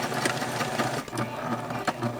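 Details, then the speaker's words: Sewing machine: quick repeating stitch clatter with a sharp squeak each cycle. Owner fears it may seize. Squeaking. "So, anyway, because this thing is just squeaking way too much. I don't like it."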